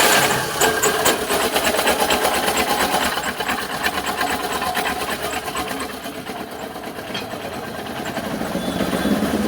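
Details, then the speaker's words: Tata Ace diesel idling with smoke and a busy uneven 'kala kala' metallic rattle; timing cover removed revealed a very loose timing belt, timing likely out; loose timing belt rattle. "வண்டியோட complaint வந்து so sound வருது கல கல கல கலன்னு வர sound வந்து loose ஆகுன மாதிரி அப்பறம் புகை வேற தள்ளுது."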